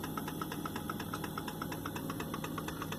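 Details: Hotpoint FSFL58G fridge freezer with the compressor running: a steady tick about twice a second over the compressor hum; the cause is unknown.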